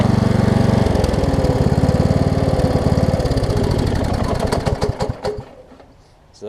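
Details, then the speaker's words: Toro Z5000 zero-turn with Kohler Courage V-twin, after fixing intake back pressure by adjusting a tight intake valve and the choke: even, steady beat for several seconds, then winds down and stops; runs great, possibly after oil build-up in muffler. "just maybe had some oil build up in the muffler it's running great now though"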